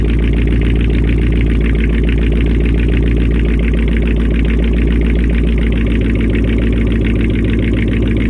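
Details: First start-up after a week down due to a faulty Amazon alternator whose pulley bearings were believed bad and screamed: steady, even idle with a smooth low thrum, no squeal or knock; the engine sounds healthy.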